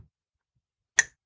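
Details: Miata on MegaSquirt whose idle was stuck around 1500 rpm: its idle control valve, off the throttle body, is pulsed on the bench through software and gives one crisp click. The solenoid works, but whether the valve closes fully is unknown.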